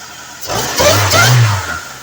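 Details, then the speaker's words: After a vacuum leak fix and PCV delete, a cold engine that previously idled around 1100-1200 rpm starts cleanly. A cold-start free rev rises smoothly and settles with no stumble. "this thing has never started this cleanly and it's never been able to free Rev on a cold start"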